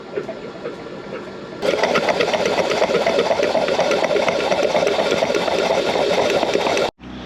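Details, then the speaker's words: Flood-damaged 2012 Ford Focus (submerged to roof in hurricane), manual, clutch engaged, cranking with spark plugs out: fast even starter churn, no firing, rapid chuffing as open cylinders expel water and transmission fluid, cylinder one spitting water. "it's spitting out uh my transmission fluid and the water water which is nice going to keep cranking it get all that water out of"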